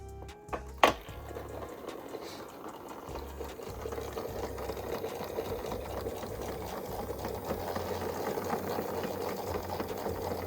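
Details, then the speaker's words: Restored VHS rewinder fast-forwarding a cassette after its long-unused oxidised lever was cleaned and oiled: click as lever switched, then steady, even whirring holding pitch as tape spools; motor works perfectly. "சுத்துறது தெரியுதுன்னு நினைக்கிறேன். வந்து பக்காவாக வேலை செய்கிறது. ஒரு superb பிஹச்எஸ் ரிவைண்டர்."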